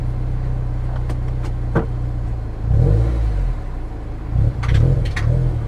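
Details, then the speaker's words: Salvage-auction manual vehicle, possibly with cut or cheap springs, pulling forward in gear: the clutch is strong and the transmission pulls well, but sharp clunking, rattling and cracking comes from underneath as it moves. Source unknown and concerning. "I don't know what that clunking, rattling, cracking noise was under there. That's a little bit on the concerning side."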